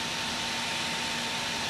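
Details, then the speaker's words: Asus Nvidia GT 610 graphics card in a Pentium PC, its cooling fan producing a loud, rushing, airy whoosh over a steady mid-pitched hum, far noisier than expected. "now what I have noticed about this is the graphics card has gotten very very noisy"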